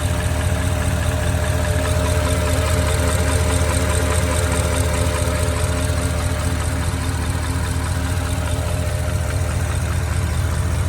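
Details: 2008 Porsche Cayenne Turbo 957, 4.8 L twin-turbo V8, 130k miles, idling: steady dull knock from the cylinders, classic piston slap from bore scoring confirmed with a scope.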